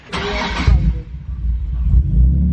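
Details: Nissan 370Z with 2,800 miles and rare Greddy twin turbo kit, first start after sitting nearly 8 years, on map two: short starter whir, engine catches cleanly and settles into a steady, even idle with no stumble or misfire.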